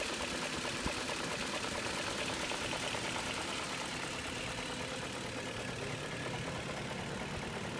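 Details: 2001 BMW 540i E39 automatic V8 knocking at idle: a steady, fairly regular knock under engine-bay hiss. Source unknown; chain tensioner replaced a week earlier; oil pan dropped with no plastic pieces found.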